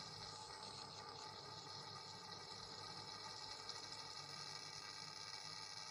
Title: buzzing sound coming out from wall